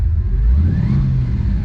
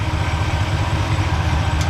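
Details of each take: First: Chevrolet Impala V8 driving with low charging voltage: deep rumble falters and pulses unevenly at low rpm, then picks up at higher revs; owner first suspects weak spark, module or coil; cause was low voltage. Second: Impala V8 smooth, even idle after fixing low voltage: charging had been only 11.44 V despite a tested-good alternator and new Chinese voltage regulator, now 14.5 V via one-wire alternator; coil had tested fine, owner suspected heat. Deep steady rumble, no misses; running like it used to.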